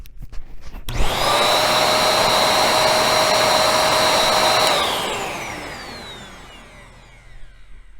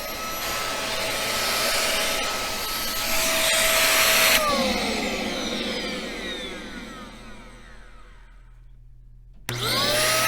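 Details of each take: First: Bissell 1306 Multi-Cyclonic upright vacuum after cleaning and maintenance: motor jumps to a steady, even whine with smooth airflow rush, then spins down cleanly, no moaning or pulsing; motor running better, normal. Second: Bissell 1306 Multi-Cyclonic upright vacuum, a few years old, running: a deep, strained roar with a high motor whine, winding down at switch-off then restarting; the airflow is choked by a clog inside.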